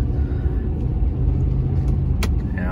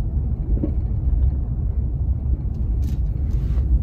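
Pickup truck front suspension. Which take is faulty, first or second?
second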